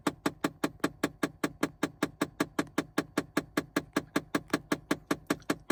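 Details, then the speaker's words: 2009 Chevy Impala LT, engine just shut off: a steady rapid tapping, several per second, repeats behind the dash for a while. It is absent while the car runs; cause unknown. "When I turn it off, it has a little bumping noise in the dash. So I'm just going to let you listen to that. It's not there when the car is running."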